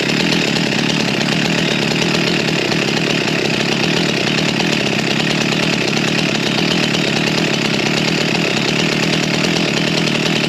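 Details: G366 chainsaw on dyno after big carb swap, still warm, tuned to about the same as before: harsh, strained scream that never clears or climbs cleanly, sagging under load; bogging, a major part missed in the swap.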